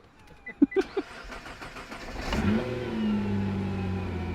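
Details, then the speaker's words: Wrecked Nissan R35 GTR with a flat battery, started on a battery pack and heard raw: a few cranking clunks, then it catches and revs smoothly with no misfire or knock; a transmission fault and a brake problem are reported. "quite smooth well smooth the engine runs which is a good start"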